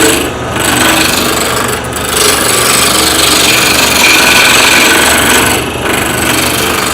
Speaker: I know it's not round yet for two reasons number one I can hear it number two I can feel the tool still advancing into the air where that one spot is